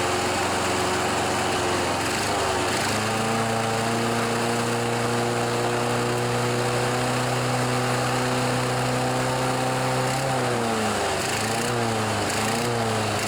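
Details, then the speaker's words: John Deere 14PB mower, Kawasaki 5.0 hp OHV, sat outside, after carburetor clean: engine steps up, holds, then sags and wavers, rough surging throttle; smoothed with blades engaged, carb fine, choke may need adjusting. "it definitely was having some problems with the throttle I think it's just really rough rushed it up in here"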